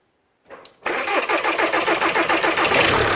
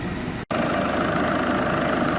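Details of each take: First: VW 2.0 TDI after timing belt job, engine resting on a jack without mounts, fuel system quickly refitted: brief cranking catches, runs a moment, then dies; fuel system not bled enough, air still in fuel, to be re-bled. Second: VW 2.0 TDI after timing belt DIY, warm with heat circulating and no leaks: smooth even diesel idle with steady clatter, no knocks, squeals or whines; engine sounds good; normal idle.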